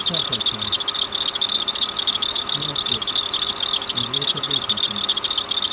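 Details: Worn belt tensioner letting the serpentine belt slip off its path on the tensioner side; pulley already replaced without success. Loud, fast, uneven metallic rattle about four per second over the engine.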